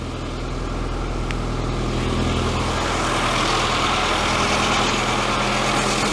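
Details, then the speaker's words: Classic Mini with a temperature fault and possible head gasket failure, warming up in neutral: steady busy idle at about 1200 rpm, droning evenly and holding a high warm-up idle. "So we're looking at about 1200 RPM at this stage. Just need to let her eat. Don't worry about that, it's just idling."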